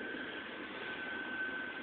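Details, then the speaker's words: Frigidaire double oven model PLEB27T9FCC, upper oven on convect: rear convection fan circulating air, a steady even airy whoosh with no rubbing, ticking or wobble; normal convection fan running. "let me stop this and hit conve and start and you can see the fan goes on that's the convection fan which makes current go through the oven so that it uh everything bakes"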